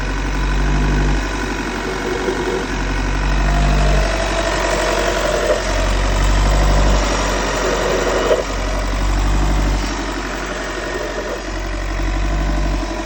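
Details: 2016 VW T6 van idling: rough, uneven knocking clatter about three times a second over a low rumble; unidentified engine noise, source unclear.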